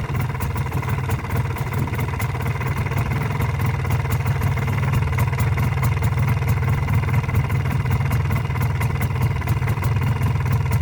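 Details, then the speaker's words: MZ ETZ 250 two-stroke at idle after clutch work and primary drive replacement (new 68-tooth wheel, gear backlash 0.92 mm): steady idle with faint light tick, minor residual rattle, harmless to normal running. "w jakiś tam dźwięk również jest no Ale to nie ma znaczenia do normalnej pracy silnika taki dźwięk po montażu sprzęgła to wymianie napędu wstępnego mamy taki efekt"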